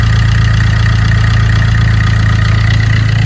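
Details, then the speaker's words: Vauxhall Corsa D 1.3 diesel after number 2 injector replacement and coding (replacement ECU); even steady idle, smooth regular beat, no misfire, no dashboard lights. "we are ready to start the car it's gonna turn the ignition on or off and on again and then we try to stop lovely sounds good as well excellent norville misfiring"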